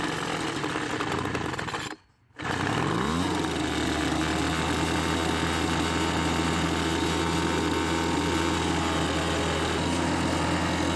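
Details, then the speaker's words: Homelite two-stroke leaf blower, several years old, after months of winter storage with last year's gas in the tank, warming up: settles into a steady low drone and never climbs in pitch; won't rev, old fuel suspected. "the problem is it's been sitting in storage for several months and now when you try to use it it doesn't want to get up to speed"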